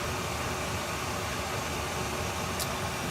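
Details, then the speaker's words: Chinese all-in-one diesel parking heater in shuttle bus RV conversion at maximum setting 10, air uncomfortable a foot away: strong even rushing blow, somewhat noisy, no knocks or rattles; normal operation at maximum. "And let's put up on 9. And 10. And there it is. It's kind of noisy on 10, I think."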